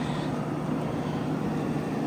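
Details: 2009 GE AEW05LMS2 5200 BTU window AC (13.40 oz R22), fan on high, drawing 3.116 A as head pressure builds, reading 75°. Even steady rush of fan air over low compressor hum, no rattles or surging: normal compressor and fan operation.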